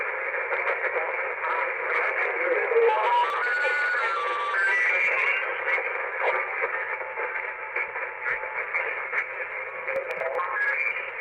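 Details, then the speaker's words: uBitx transceiver with Nextion screen and CEC firmware, tuned down toward 80 meters: muffled broadcast voices and music bleed through; S-meter pegged, radio slammed by surrounding AM stations, attenuator does nothing, very prominent on 80 m. "So the radio is, it is being slammed by all this AM radio that's all around it."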